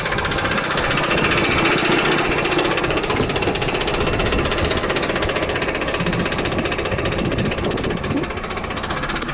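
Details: Trabant 601 with a €30 flea-market two-stroke engine, restarted after seizing at 90 km/h and cooling down: a harsh, hammering knock about four times a second over rattly running; damaged crank bearings.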